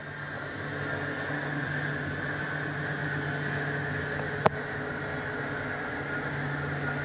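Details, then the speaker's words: Bedroom slide-out retracting on a 2018 Forest River Ultra V 2618; the bottoms come in first, where the mechanism is. Even, low motor hum with one sharp click midway. Normal slide-out retraction. "slide comes in the bottoms always come in first because that's where the slide mechanism is and they straighten themselves out"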